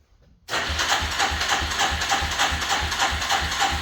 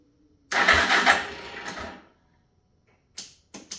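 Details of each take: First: 1985 Suzuki LT300 quad after starter repair, sat a couple of weeks, in neutral: catches after a short pause and settles into an even, quick putter with no misses or clatter; running again. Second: 1985 Suzuki LT300 quad cranked in neutral after cleaning the starter connection: sluggish, growly cranking barely turns the engine, catches a moment, then only weak bursts. The starter is bad and was later replaced.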